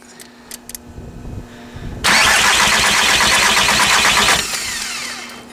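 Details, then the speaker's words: VW TDI MK4 no-start, air already bled from the lines: it cranks for a couple of seconds without catching while one injector puffs and leaks around its base, losing compression; leaking injector. Electrical corrosion was later found as the main cause. "Oh, before it was poof, poof, poof from around the base of the injector. Maybe for show you guys, I'm losing some compression."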